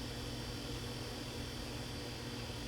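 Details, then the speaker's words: Samsung convection oven with the noisy middle convection fan motor unplugged: only a faint, steady low hum from the remaining fan, with no rubbing, ticking or wobble, running normally. "and all here is a very very slight hum of just a normal fan as it should be from here absolutely quiet this is what you should hear it's normal"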